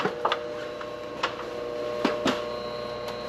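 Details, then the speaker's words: B&G hot-water boiler circulator pump running after a broken coupler and motor mounts were replaced, with a few oil squirts added: a soft, steady motor hum with only light clicks and no rattle or grinding. It is now quiet and normal. "It's spinning so quietly now."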